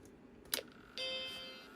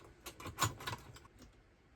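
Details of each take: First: Macintosh II board, powered on after replacing the faulty ROM chip: a click, then a clean bell-like startup chime fading evenly, followed by video out. Normal startup chime after the ROM fix. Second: Battery-damaged Macintosh II logic board after reseating socketed ICs: handling clicks, then a sustained rising chime instead of the startup tone. Chime of death, a failed startup hardware test; the ROM now executes, possibly bad RAM, cause unknown.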